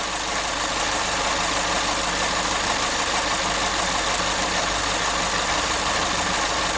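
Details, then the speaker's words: 2012 Chevrolet Spin at idle, radiator fan cutting in; owner reported a loose, tin-like knock. Light rapid ticking about three per second that stops when the canister purge solenoid is unplugged. Canister purge solenoid tapping. "O eletroventilador entrou. Mas o barulho tá vindo daqui, ó. Da eletroválvula de canister. Eu desligo ela para o barulho."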